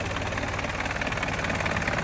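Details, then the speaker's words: 1972 Range Rover Classic Suffix A diesel, recommissioned and started first go: steady, even clatter with a smooth low beat, throttle applied, no knocks or misses; an earlier knocking is thought to be the exhaust banging around; normal running. "that knocking noise just sounds like it's the exhaust banging around yeah this guy's going to give any throttle and get the foot on it fantastic sounds healthy it's really good"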